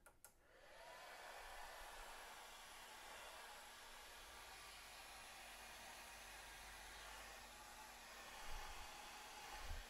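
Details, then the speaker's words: Snapmaker power supply stock rear fan run on the bench at 24 V, outside enclosure: loud steady rushing airflow with a thin constant whine; fan whine, before replacement with quieter fan. "it's pretty loud it's got a bit of an annoying wine to it"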